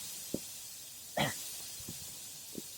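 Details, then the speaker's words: 2023 Honda Goldwing rear tire: steady, sharp hiss of air escaping through the nail hole after the broken-off, inch-long nail is pulled, with a few handling knocks; puncture before plugging. "all right you can hear the air hissing out of there looks like the nail itself actually broke off"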